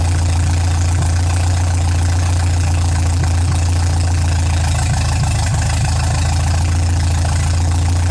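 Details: MGA 1600 roadster four-cylinder under restoration, first run after cooling system refill with choke pulled and low fuel (new 4 PSI cap, not charging, heater core air-locked): steady, even low idle with no knocks, misses or hunting; running smooth and healthy.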